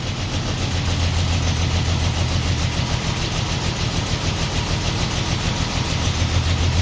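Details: 1949 Ford F1 inline six, first long run after sitting 20 years, choke partly on, fuel pump on, no working water pump: lumpy, stumbling idle, clearly missing on at least one cylinder.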